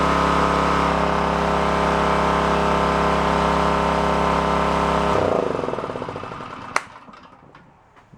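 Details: Onan K450 portable generator, yard-sale unit that sat a long time: steady even note holding constant speed about five seconds, then clean shutdown and run-down; healthy.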